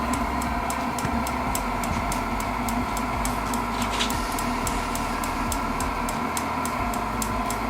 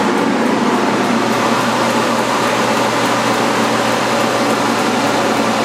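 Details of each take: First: Modified propane heater with a fan dimmer and propane regulator: sharp, even ticks about three a second from the piezo igniter clicking nonstop over a steady fan roar while it blows warm air. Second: Propane heater run with the propane turned off, blower at full speed before a dimmer is fitted to slow it. Loud, steady rushing roar with a faint constant hum and no knocks or rattles; the blower runs normally at full speed.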